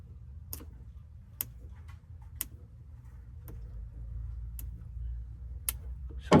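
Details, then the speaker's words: Chrysler 300 with a swapped-in 392 Scat Pack engine: key on gives sharp single clicks about once a second with no cranking and a dark dash despite power; no start, electrical fault suspected, possibly the RF hub, not confirmed. "And when I put it on, you're going to see the shake. You're going to hear it click. Look. You hear it?"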